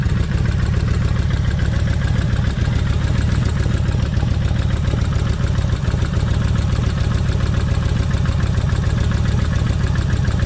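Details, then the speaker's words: Kawasaki Vulcan 1600 V-twin, warm idle on day two of an engine oil treatment: quick steady tick, three or four a second, over the lumpy beat from the front rocker arm/lifter area; lifter tap suspected, not confirmed. "all right okay now still got the tapping but I want y'all to listen to"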